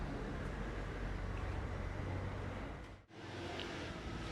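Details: Magneti Marelli-managed car, no LPG, 267,802 km, timing belt and clutch kit changed about 5,000-6,000 km ago; after throttle body cleaning, O-ring refitted and oil refill, engine warm. Low steady hum, one brief dip, no misfire, hiss or knock: normal running.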